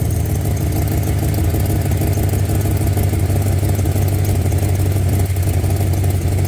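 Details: Plymouth Cuda V8 idling with a loose, uneven low rumble and faint puffing tick from an exhaust leak that makes it run worse; a repair attempt failed and the leak remains.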